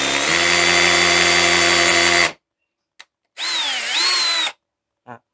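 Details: Black+Decker BDCHD18K 18V cordless hammer drill in hammer mode with a masonry bit boring into concrete: steady high buzzing whir with an even fast rattle, stopping cleanly; hammer action working normally.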